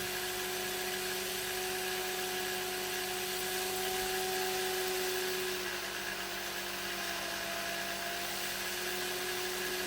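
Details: Omtech CO2 laser air assist on the stock 16W air pump, after swapping the stock lens tube and nozzle for a Cloudray L-series lens tube with N03 nozzle: steady airflow hiss and fan tone climbing slightly in pitch; air speed rose from about 2.75 to 4.35 m/s (+58%).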